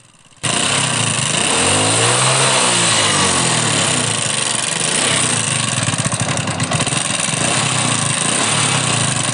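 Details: Hero Honda Splendor single-cylinder bike, used in fields and long unserviced: idle carries a busy, uneven metallic chatter over the beat; worn, slack timing chain with a damaged guide.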